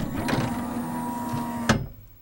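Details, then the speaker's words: CLD-M301 laserdisc player, both-sides-play model with a disc tray stuck on open: steady motor whirr straining against the tray, then a sharp bang from a whack and the whirr dies away; a slipping tray belt is stalling the tray. "you try to hit open... [consistent whirring sound] that's all that happens."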